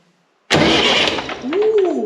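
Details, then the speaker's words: Perkins AA35001 marine diesel on a sailboat, not run for almost a year; 24 V applied to the starter solenoid wire: a sudden electric whir spins up freely, its whine rising then easing; normal starter cranking. "now we are making the solenoid uh do the connection so that the starter starts turning"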